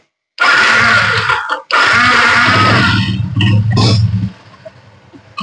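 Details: Yamaha Exciter 135 electric start after repair of a no-start fault traced to an internally broken green-white wire. Strong starter spin with a short break, then the engine catches and settles; a clean start.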